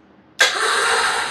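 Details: Briggs & Stratton Intek riding mower with a good battery and a dry spark plug. The starter spins the engine at a steady, even whirr, but it never fires. The cause is a broken camshaft compression release (decompression cam).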